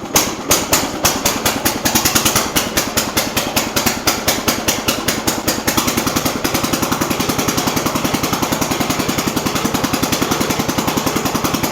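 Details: Jacobsen Chief 800 garden tractor, single cylinder, started on choke with idle raised: slow, irregular, lumpy chuffing that then picks up; uneven idle, carburettor needs adjusting.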